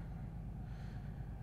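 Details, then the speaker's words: 2015 BMW 640i N55 with an intermittent misfire, idling: deep, lumpy rumble with an uneven throb as one cylinder's beat is missing; misfire bad enough that cylinder deactivation has shut one off, running on five cylinders. "if you guys felt this it's pretty bad the cylinder deactivation has already taken place this thing's running on five cylinders at the moment"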